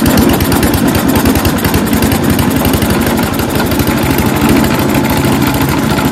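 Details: Mighty Mac wood chipper/leaf shredder, single-cylinder, after replacing seized choke flap: fires and holds a fast, steady, even putter with no misses or stumbles; normal idle.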